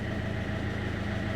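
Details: Peugeot Expert electro-hydraulic power steering after pump replacement, engine idling, steering at full lock drawing almost 90 A (failed pump peaked about 20 A): steady even hum, no whine or groaning; new pump healthy.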